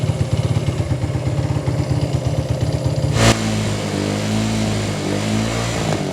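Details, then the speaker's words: 1980s Italjet Skipper 125cc motorbike: uneven, hunting idle with ragged missed beats, then sags and struggles toward stalling while ignition light stays on; fuel starvation from vacuum-locked tank with no cap vent. "Now it begins. But you could see we still had the ignition light going on while the engine was having trouble."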